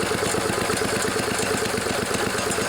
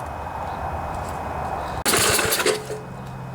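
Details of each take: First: 1974 Sears Craftsman Rotospader tiller with a Tecumseh single-cylinder engine, newly fitted carburetor being tuned with the air filter off: a steady, even putter with no misses or surging. The engine runs well. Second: 1974 Sears Craftsman Rotospader rototiller, Tecumseh engine, new carburetor fitted after long barn storage, air filter off: engine catches after a few pulls; sputters lean as the mixture screw is turned, then set to a fast smooth buzz.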